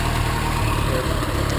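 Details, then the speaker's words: "3A" small four-cylinder petrol engine after tune-up with new spark plugs and fresh oil: low, even idle with soft regular pulse, no skips, knocks or hunting, running like a kitten; smooth idle. "That is big difference. That's no. That is much nicer. That is like running like a kitten."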